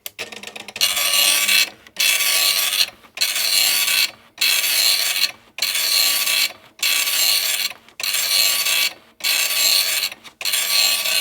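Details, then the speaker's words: Epson RX-80 9-pin dot matrix printer, refurbished with new ribbon, self-test started by holding line feed at power-on: buzzy rasping print passes about a second each with brief pauses; healthy self-test, all pins working. "Nice. It appears to work. All the pins are there, it seems."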